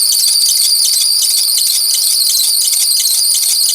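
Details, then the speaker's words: 2006 Ford Explorer 4.0 L SOHC V6, which overheated after the belt came off: loud, piercing, continuous squeal with a fast pulsing edge as the belt slips and bounces on a wobbling, failed harmonic balancer. "okay so let's go ahead and start this up sometimes the squealing will subside but I don't think it will this time and"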